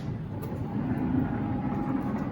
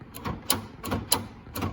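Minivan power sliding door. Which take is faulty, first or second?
second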